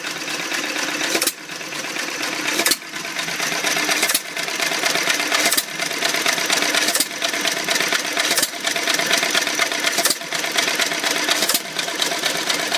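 Slow, regular chuffing beat about every second and a half, each stroke firing cleanly and evenly, a sound stationary engine running well.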